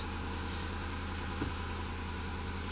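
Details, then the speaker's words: Ford after repair for P0171/P0174 lean codes, fuel trims reset: smooth steady idle hum sitting high at about 1100 rpm after start, no misses or ticks; normal while idle and base fuel trims relearn. "now it's at a higher Idol right now you can go ahead and look at the RPM too if you want to guys want to see that and we're going to let it learn the idle and base fuel Trims and then we'll go for a ride"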